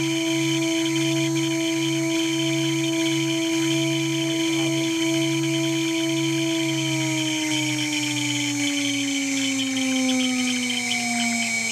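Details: Water-cooled 2.2 kW spindle under warranty: strong steady high whine sliding lower as it slows, with pulsing chirp underneath; owner suspects bad bearings.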